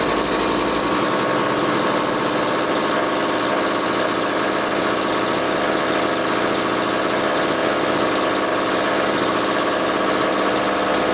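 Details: Old McCulloch 1-40 two-stroke chainsaw, very smoky: steady fast idle buzz with coarse uneven edge, rough running; suspected bad crankshaft seal on one side or crankcase sludge, maybe carb rebuild kit needed; tuning not far off, cause unconfirmed.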